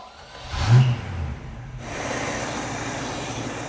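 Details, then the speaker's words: 1968 Pontiac Firebird V8 parked since 1984, after adding a fuel pressure regulator to cut 12 PSI down to about seven: catches with a quick rev and drops into a steady, even idle; runs healthy without carburetor work. "Honestly, that was it. We're good. Don't need to change the carburetor."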